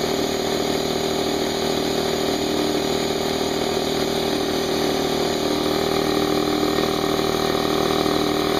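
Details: New Harbor Freight Central Pneumatic 68127 29-gallon 2hp 150psi air compressor at first switch-on for no-load break-in, fresh oil, tank drain open: steady even piston thump over smooth motor hum, no knocks or rattles, fairly quiet; normal unloaded running.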